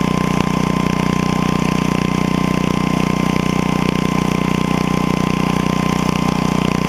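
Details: 8hp Briggs & Stratton engine taken from an estate-sale generator: starts first pull and holds a steady, even putter at one speed with no misses, knocks, surging or exhaust smoke, a healthy engine.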